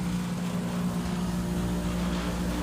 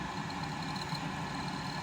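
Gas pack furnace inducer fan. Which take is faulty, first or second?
first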